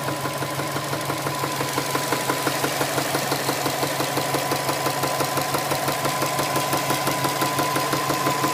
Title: Engine knock 2